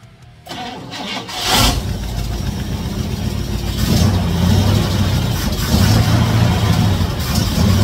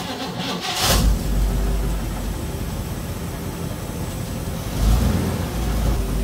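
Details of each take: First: 1956 Chevy Nomad V8 that sat over two years, running only on fuel poured into the carburetor: it runs rough and uneven and surges without settling to idle, because no fuel is reaching the carb yet. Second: 1956 Chevy Nomad V8 idling after the rocker-rubbing valve covers were removed: low steady burble with a throttle blip and no valvetrain tick. The ticking and the oil leak should now be fixed.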